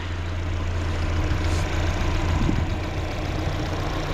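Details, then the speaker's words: 1997 Mazda Miata NA with newly installed replacement engine: steady, even low idle with no misses, knocks or ticking, temperatures good, no leaks; engine healthy. "Temps are still good, idle's still good. I need some gas, but you know, she's golden."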